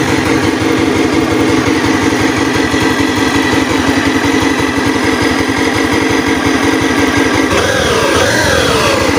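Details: Honda Beat FI ESP scooter with heavy droning hum rising with throttle, sounding like the CVT but actually a worn connecting rod big-end bearing.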